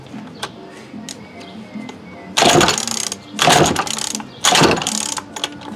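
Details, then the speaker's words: 2019 Remington Rustler RM2510 25cc curved-shaft trimmer with spark: three hard cord pulls, ratcheting rasp each time, engine never catches; pull starter seems to slip rather than grab; owner suspects fuel not priming too. "You can feel it right there. It's trying to grab, but it's just not catching like it should."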